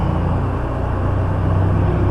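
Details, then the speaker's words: Meat shop walk-in cooler compressor/condensing unit in hog barn, first run in over 5 years after rehab; steady even low hum, no knocks or rattles, seems to be doing all right. Normal running. "never feel about cold air coming out let's go check the outside all right so here's the outside compressors in the hog barn sort of dark in here but i believe it's uh it's doing all right"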